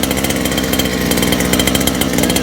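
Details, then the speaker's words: First start of friend's two-stroke motor: fast buzzy even tick-over, no stumbles or dropouts; smooth idle, richer than it should be. "Look at that. Break the thing idle. It is richer than where it's supposed to be."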